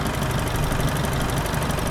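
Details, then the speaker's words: Holden Rodeo 4JJ1 3.0L diesel after cleaning carbon-stuck EGR valve and intake manifold, adjusting valves, bleeding injector lines: steady, even diesel clatter at idle, smooth low rumble, no misses or knocks; now revving freely, no leaks seen. "And it's actually revving now, so I'll take it for a wee test drive."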